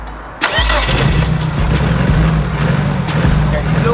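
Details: Nissan S13 200SX four-cylinder just started after wiring-loom repair; catches and drops into a lumpy, uneven stumbling idle, running on three cylinders with a huge misfire.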